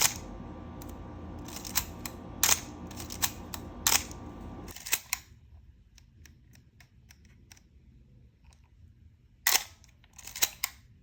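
Sharp shutter clicks come in short clusters, each with a dry rasping squeak in the release, typical of a dry shutter mechanism.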